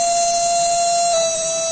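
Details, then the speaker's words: Solar-powered Imhotep relay charger battery desulfator replica sitting on a hollow wooden door, humming with a steady high buzz that shifts pitch slightly as the load connects; normal behaviour. "Sitting on this hollow wooden door, you can really hear it humming away, right?"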